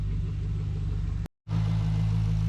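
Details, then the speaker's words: Holden VE SS Ute V8 with cam, idling while coming up to temperature, checked for notorious lifter tick: steady even low rumble with no knocks or misses apart from a short dropout; normal idle. "But this one sounds pretty good. And we'll just let it come up to temperature. Don't rev it yet, Fred Jr. Doesn't sound too bad."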